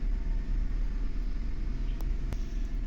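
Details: 2015 GMC Denali V8: deep uneven rumble with an irregular stumble, cylinder 2 misfire (P0300) found on scanner, caused by a faulty ignition coil on that cylinder, which was replaced.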